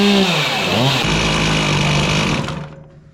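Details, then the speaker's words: Chainsaw after emptying old fuel and adjusting the carburetor: crisp, even two-stroke scream that revs up cleanly, holds steady and shuts off without stumbling; running properly. "I love how these things start"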